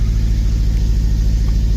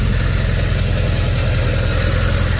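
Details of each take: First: Honda Civic Si K20 with a newly installed Mercracing TVS 1900 supercharger, first start after ECU reflash, check engine light on: deep, uneven, lumpy idle that stumbles; suspected misfire, air-fuel ratio holding 14, no knock; rough idle. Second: Honda Civic Si K20 on first start after fitting a TVS 1900 supercharger and ECU reflash: deep, even idle rumble with a steady beat and no knocks or misses; check engine light on, possible misfire suspected, air-fuel ratio 14, no knock.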